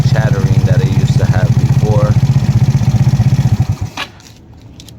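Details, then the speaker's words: GY6 150cc scooter after a valve adjustment (cover still off): a quick, even single-cylinder idle at roughly four beats a second, with no more of the valve chatter heard before; healthy. "Before it was chattering everywhere. Now it's nice and adjusted."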